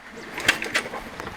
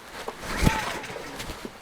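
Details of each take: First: Honda EU10i (EU1000i-like) inverter generator that won't start, spark plug removed, finger over plug hole while cranking: soft regular puffs about every quarter second, suction felt; good compression, healthy. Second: Honda EU10i (EU1000i-like) inverter generator, switch on, choke on: three recoil pulls about two seconds apart, each a short whirr dying away with no firing stroke; cranks but won't start.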